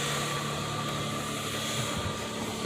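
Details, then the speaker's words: Lexus ES300 V6 that used to start and instantly die, running after replacing six electrolytic capacitors inside the ECU behind the glove box: steady even run with a faint whine, no stumbling or dying, so it is running normally. "oh yes it was the capacitors this thing used to start and instantly die"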